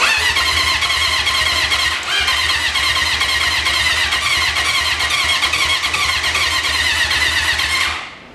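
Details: 1980 Honda CB750 after sitting 35 years, on a jump box: steady fast cranking with a few uneven near-catches that never pick up into a run, then stops; owner plans to feed it gas, seems fuel-starved and not firing.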